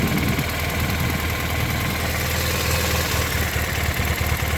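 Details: R1200R idling: steady low idle with a loose, fast metallic rattle riding on top; transmission suspected as the source, not confirmed.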